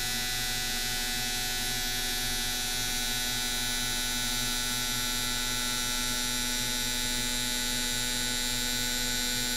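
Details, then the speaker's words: Mr Cartool injector tester running four gasoline fuel injectors at half pulse width: fast even buzzing tick in rapid sequence over steady electrical hum, no stumbles; injectors cycling normally. "And then we'll fire it up again on half the pulse width. And you can hear the thing cycling the injectors."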